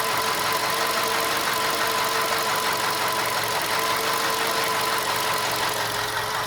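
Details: VW Golf 5 engine at steady idle with a light, uneven clack about three a second over the engine hum. Knocking, source not pinned down.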